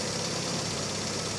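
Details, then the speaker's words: A-series engine with new BP5ES plugs gapped at 25, worn points, play in the distributor shaft and a low-resistance coil of about 2 ohms; at idle, small uneven pops and crackle from the exhaust after the timing was advanced slightly. The carburetor may also need work. "yeah, I did have to advance the timing just a little bit. You can hear it's just a little bit poppy out the exhaust."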